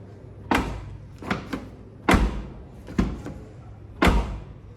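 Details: Hyundai HB20 door shutting five times with a soft, solid thud and no metallic latch clack, compared with a front door that clacks and won't close properly: normal door closing with quiet latch.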